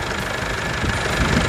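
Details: Chevrolet S10 MWM Pitbull diesel after turbo replacement and full service: even diesel clatter at steady idle, no knocks or hunting. Healthy.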